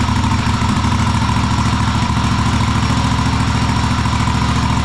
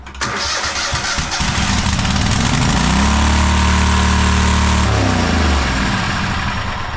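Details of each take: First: Cub Cadet Super LT1554 lawn tractor, 27 hp Kohler V-twin, 500+ hours, after head gasket rebuild, carb cleaning and adjustment, air box off: steady even putter at constant speed; engine running correctly. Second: Cub Cadet Super LT1554 lawn tractor, 27 hp Kohler V-twin, 500+ hours, after head gasket replacement: fires and climbs to screaming high speed, holds, then dies; runaway engine right after governor linkage reset at full throttle.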